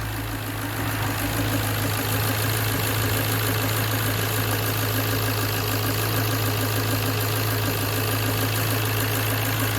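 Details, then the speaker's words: Ford Focus Mk1 Sigma engine idling just after an oil change, filter primed and leak-checked: even, steady idle with a soft belt hum on top, no knocks, ticks or misses. A healthy normal idle. "Good. Job done. That is how a happy Ford Sigma should sound like."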